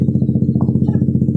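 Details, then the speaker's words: Honda Beat FI scooter, after its crankshaft/CVT fault was fixed with a replaced pulley, KPY clutch springs and a Vario 125 main spring: steady, even idle putter with regular firing and no knocks or rattles. "Ya bisa dengar suaranya halus tetap ya. Kembali lagi motor standar ya teman-teman."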